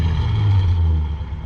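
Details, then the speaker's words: Car with a V8; it had been smoking under the hood earlier. Deep rumble swells with a throttle blip and settles back smoothly, with no rattle or miss. Normal revving, strong-running engine. "All right, there we go. Now we're talking. See, I told y'all, good running rig, sweet running automobile."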